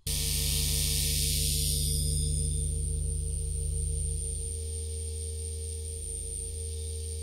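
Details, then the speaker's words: Focusrite Scarlett 8i20 audio interface over USB: steady low hum with thin high whine and fast regular ticking through speakers, crackling even when moving mouse; USB ground-loop interference noise, later solved with USB isolator. "scarlet 89 20 and suddenly I have a lot of interferences in my speakers if you don't know what interferences are it's a lot of noise crackling even when you move your mouse on the computer um you can hear that in the speakers"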